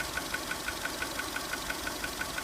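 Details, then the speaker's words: 2002 VW Polo 1.4 petrol at idle, engine light flashing, code P0304: steady sharp tick about six per second over a light hum, a misfire from cylinder 4, confirmed by inductive pickup scope pattern as a bad ignition coil. "Just going to show you how to test that one where it's in situ. You can hear the misfire from number 4."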